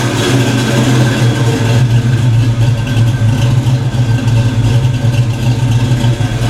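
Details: Black Stang (Mustang) first fire on 24 lb injectors and 73 mm mass air meter; after shimming five or six rockers, firm steady idle with slight lope and no top-end tapping; valvetrain sounds sorted: normal idle.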